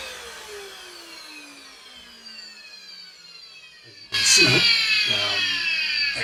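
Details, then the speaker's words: Shark DuoClean vacuum: the motor cuts out when switching from the higher carpet power setting back, and its whine sinks as it coasts down, then jumps back when restarted. Intermittent power cut-out, cause unknown. "If I try and turn off the higher set it just cuts out."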